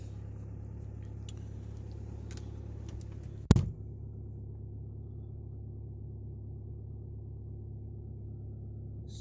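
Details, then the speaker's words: Audi A6 2.0 TDI that would not start in cold, damp weather, after repair, just started cold after frozen night; low smooth diesel idle rumble holding steady after one brief thump, no misfire or hunting, healthy. "Aizsalis mums. Izskatās, ka būšu saremontējis."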